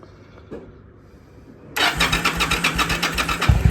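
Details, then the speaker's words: Yamaha V Star twin that had been dying after a few minutes, after replacing its failing fuel pump: a short crank, then it catches immediately and settles into a steady, loping idle with no misses or knocks. Normal start and idle. "There you go. And we're cooking with gas. There you go. Yep, it was my fuel pump."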